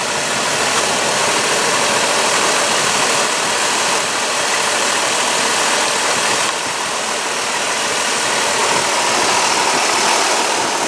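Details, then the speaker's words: Warm Dodge Caravan with about 147,000 miles, after replacing the power steering reservoir, bleeding air and new plugs and wires: even, steady idle with only a soft hiss and no whine or groan from the steering pump; normal idle. "let it run for a little bit it's sounds nice now it was kind of bitching earlier"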